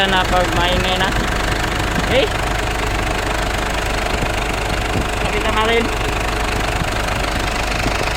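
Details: Idling engine gets noisy when the air conditioning is switched on: steady rough rattle with a few faint chirps while AC runs. Source unclear, cause not confirmed.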